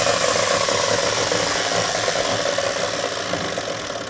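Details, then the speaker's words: DeWalt DW871 14-inch cutoff saw, about 20 years old, bogged down and smoked cutting steel: steady high roar with a gritty crackle, heavy arcing and no bearing rumble. Owner suspects brushes and a dirty armature; bearings sound good. "There's a lot of arcing going on right there. Looks like an excess. Probably needs brushes and clean that armature."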